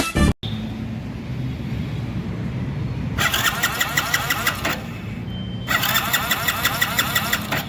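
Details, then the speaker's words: Hero HF Deluxe BS6 motorcycle that would not start despite full current, fuel injector suspected; injector removed and tested while cranking, giving two bursts of quick, even ticking and a fine petrol spray, injector now working normally. "మిత్రులారా, మీరు ఇక్కడ చూస్తున్నట్లుగా petrol ఈ విధంగా బయటకు వస్తుంది . ఇది spray లాగా కనిపిస్తుంది; నేను మీకు మరోసారి చూపిస్తాను. ఇప్పుడు ఇది సరిగ్గా పనిచేస్తోంది."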